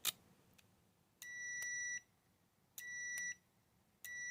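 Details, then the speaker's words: Automotive 12 V relay energized by a 9 V battery, with a multimeter on continuity across pins 30 and 87: three steady beeps. The contacts close and conduct properly. "so you can see that relay is working there"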